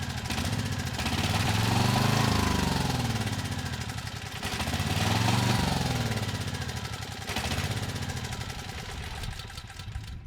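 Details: Troy-Bilt 6000 W petrol generator, bought with a running engine but no power output, after repair: steady drone with a slight periodic swell and no misses or stumbles while holding 240 V under a 3000 W load for 15 minutes; runs healthy.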